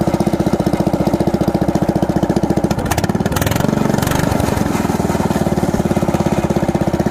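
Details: Predator 420cc single-cylinder swapped into a golf cart with a Ford 9-inch diff and Blast LED torque converter, running on an open header with no exhaust. Loud, sharp popping briefly swells mid-run, then settles; runs normally.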